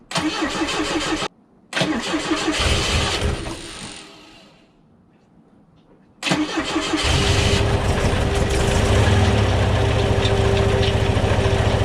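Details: 1969 Volvo 142S after replacing the failed mechanical fuel pump, fuel line and hose clamps (old pump had dumped fuel into the oil); brief cranking, pause, then catches and settles into steady, even idle.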